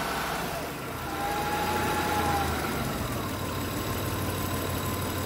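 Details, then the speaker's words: Honda truck with code P0108, after MAP sensor check: even steady idle with no rise and fall in revs, smooth and settled; the earlier up-and-down revving is gone. Normal idle. "pues ahorita ya el motor se siente decente ya no se siente que está en la revoluciones para arriba y para abajo"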